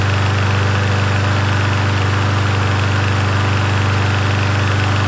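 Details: Yard Machines 21-inch push mower, 163cc engine, in cool 50s weather: smooth, even low drone at steady speed with no surging, misses or hunting; running cleanly.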